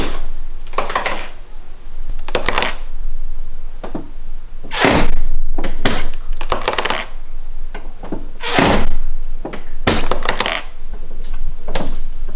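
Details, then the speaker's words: BMW E46 Convertible door seals dried out with age: short bursts of rubbery squeaks and creaks as the door works against its seal; fixed by cleaning the seals and treating them with a Honda seal conditioner. "This spot on these cars makes that noise."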